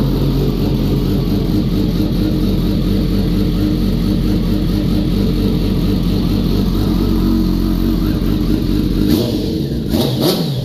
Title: Zx10r in for a crank no start no fuel prim, ordered a new ecu and she fired right up #zx10r #bike